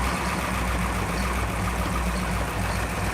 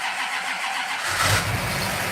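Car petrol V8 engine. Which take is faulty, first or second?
second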